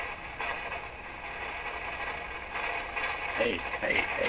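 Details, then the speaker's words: Rogers 11RA651 shortwave radio, volume turned right down: steady hiss with irregular crackles and pops, sensitive to being knocked; a loose wire is suspected, a problem that had seemed fixed before. "this I'll never do well we got this far so I got to deal with this this this sounds like a loose wire or something"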